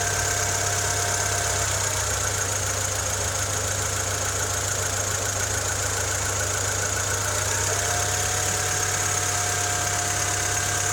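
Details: Honda Civic EK3 with D15Z6 engine at idle: steady idle with a faint, fairly regular tapping at roughly three per second; engine knock of unknown origin.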